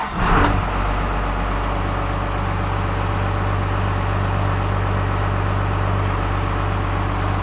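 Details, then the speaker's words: 1st Gen Cummins diesel with new stock-stall torque converter, idle screw raised, in gear with AC on (about 720 rpm, 850 in park after adjustment): steady, even rumble, smooth low throb, no misses or knocks; normal idle. "we'll fire it up throw it in gear turn the ac on and see where we're idling"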